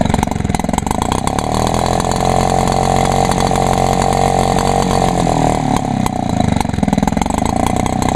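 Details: Echo PB 400E blower on 32:1 gas-oil mix, choke-only with no primer. Steady, high buzzing two-stroke note with even firing that holds speed without stumbling: normal two-stroke running, runs good.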